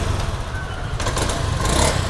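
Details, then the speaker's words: Honda Scoopy scooter: uneven, stumbling, lumpy revs as throttle opens, hesitating on initial pull-away ("limping"); fuel pressure 40.3 psi, injector, air filter, spark plug already checked/replaced and fine; weak ignition coil causing hesitation, coil swap suggested. "seperti pincang ya Bro tuh liat"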